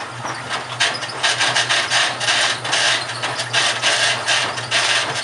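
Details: GE washing machine, model WHDSR315DWW, bought 2006, running with a harsh scraping grind in rough surges about twice a second over a low motor hum; owner suspects the transmission is failing, unconfirmed.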